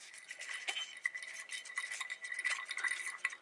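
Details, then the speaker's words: 2017 Dodge Challenger wheel bearing removed and turned by hand: gritty, crunchy rattle with faint metallic ringing from a worn, rough bearing, replaced along with rotors and brake pads. "So when you have the bearing and you move the tire around, sometimes you can't hear it, but when you have the bearing and everything exposed and you start moving the bearing around, you will notice that."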